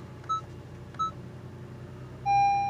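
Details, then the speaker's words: 2012 Honda Civic with deployed curtain airbags: a couple of short dings, then a sustained bell tone in a quiet cabin, the check-airbag warning chime that stays until the airbag is fixed. Airbag warning chime. "that check airbag system and now it's gonna start making that sound a little bell sound and he won't go away see that sound and that he's gonna stay there until you fixed that airbag"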